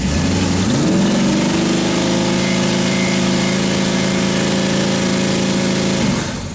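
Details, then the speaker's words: Freshly built 350 Chevy V8 with Holley, during break-in, cooled down, oil pressure above 10 psi per 1000 rpm; picks up from low idle to steady fast idle then shuts down, no knocks or ticks — normal fast idle. "raiga idle no no no weird noises no nothing out j-just a snappy little motor almost stick it in the Camaro she's working good"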